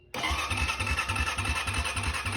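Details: 2005 Honda Rancher 350 ATV after a starter replacement, started with a jump pack. Quick, even cranking pulses, then the engine catches cleanly and settles into a steady run; the new starter is healthy.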